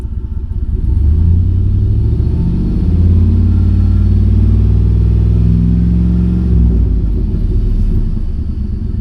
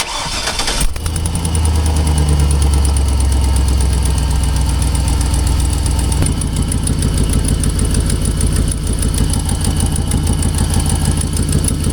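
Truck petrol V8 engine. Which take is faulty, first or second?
second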